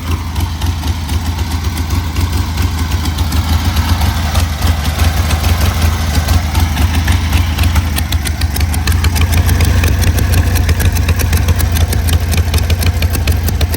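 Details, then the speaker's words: 1973 Harley Sportster "FrankenHarley" build, running with choke off: lumpy, loping V-twin idle with a steady uneven beat and no obvious misses; owner unsure it sounds right but thinks it sounds good, notes something coming off the head. "Is that how it's supposed to sound? You're gonna have to put real eyeballs and ears on it yourself, but sounds good."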